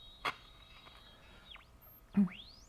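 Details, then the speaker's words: Old tube radio, tuning across the dial: high, thin whistle over quiet hiss swooping down and back up with dial movement; IF transformer self-oscillation, typically from inadequate shielding. "the condition here is what we call the AF transformer self-oscillation and what you'll hear here is a very high-pitched noise and as you tune around the station"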